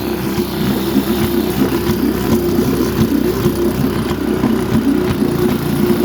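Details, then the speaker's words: 1952 Scott Atwater-built Firestone 10hp two-stroke outboard, converted from gravity feed to fuel pump, cold day, pumping water well: fast busy beat with uneven pops and stumbles, intermittent lean sneeze; owner suspects top crank seal, may replace original diaphragm. "it's got the original diaphragm in it I might have to replace that pumping water real good got a lean Snee this might be the top crank SE"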